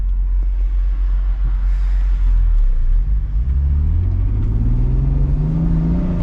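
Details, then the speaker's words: BMW E36 after installing Sachs clutch and JBR lightweight flywheel, early break-in: deep engine rumble climbs smoothly as the car pulls away, no chatter or slipping; clutch grabs great, no crazy noises. Large air filter whistles. "clutch grabs great oh yeah it feels good no crazy noises clutch engagement great what else could you ask for"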